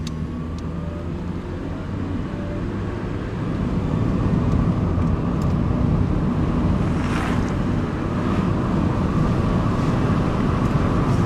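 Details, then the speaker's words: CB7 Honda Accord, stock ride height, on road test after full timing system replacement and coolant bleed, warm, heater hot: engine note climbs smoothly over road noise with no knocks, rattles or shudder; runs much better, healthy. "This thing runs so much better though, do you hear it? So much. So much better."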